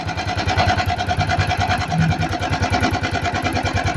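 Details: Italika FT150 motorcycle won't stay running, with engine noise: small revs with rough uneven chuffing and clattery top end, struggling; engine torn down, cylinder sleeve replaced.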